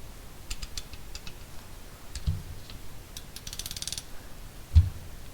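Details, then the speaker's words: Cornwell 30-tooth ratchet of a 50–60-year-old design: coarse, widely spaced clicks as the handle swings back. It is clunky but has far less back drag than an Icon ratchet. The pawl is working normally. "It's clunky because it's 30 teeth, but it has way less back drag than this damn Icon."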